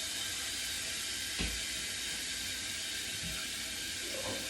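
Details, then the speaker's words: Toilet tank gives a steady high water hiss with a faint clunk, running nonstop; the fill valve is identified as the noise source, to be replaced with a FluidMaster 400A universal fill valve after shutting off the water. "basically now I know that it's the fuel valve that's making all that noise."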